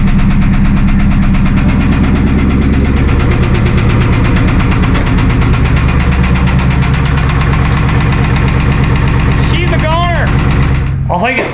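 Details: Rod-knocking LS1 V8 in a 2001 Trans Am WS6, being removed with the original T56 for a built 500hp LS1; loud heavy idle with a deep uneven knock about three hits a second underneath, worn connecting rod bearing.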